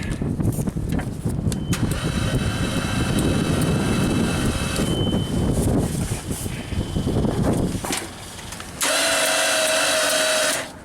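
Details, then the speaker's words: JLG MRT 260 "Baby Scissor" lift 3-cylinder engine, cold day, cranked with all 3 spark plugs out: sluggish, uneven cranking about three to four turns a second; starter drawing far too many amps on 800 amp scale, battery weak, starter likely shot again. "Well, bad news on this one. I think the starter's shot again, drawing way too many amps and not really turning the engine over too well."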